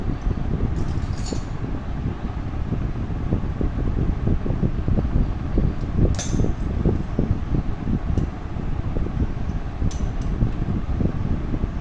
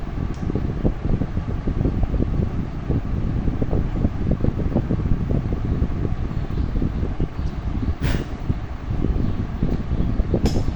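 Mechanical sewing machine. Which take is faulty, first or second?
first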